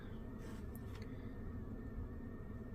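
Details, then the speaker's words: Ducted mini-split indoor unit on high fan speed after blower motor replacement, listened to from upstairs: just a smooth rush of air with low hum, no ticking or bearing growl; normal blower. "all I hear is air sounds pretty good"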